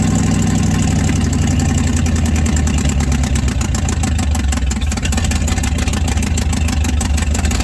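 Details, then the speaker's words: 1967 Chevrolet C50 truck after nine years stored in a barn and outside; engine runs loud and lumpy, beat wavering and sagging, struggles to idle, stalls and won't restart. "i don't know why the thing don't want to idle i'm start it up again now it does not want to start"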